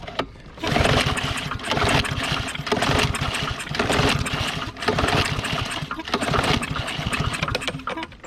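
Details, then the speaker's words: Discarded lawn mower (Troy-Bilt or Yard Machines), water in tank and carburetor: recoil pulls about once a second, coughing but not catching; hard starting, eventually started after ~100 pulls and ether. "all righty we had to pull on at like 100 times G Jr was wore out lot of ether to get that rest that water out of the car braider"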